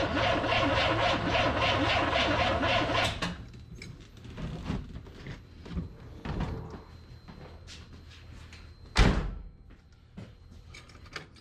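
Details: Corvette with carburetor, on jump pack after dead battery, fuel pressure gauge fitted in line: about three seconds of steady cranking at roughly four beats a second, never fires; crank no start, owner suspects carburetor fueling issue.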